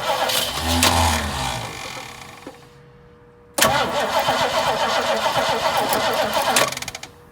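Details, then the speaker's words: 1968 Mustang sitting 8 years, points ignition (points cleaned, condenser suspected): cranking catches for a second or so, runs ragged, fades out and goes quiet before cranking again; fires briefly then dies, cause unconfirmed. "Got a tiny kick though. I was running for a little."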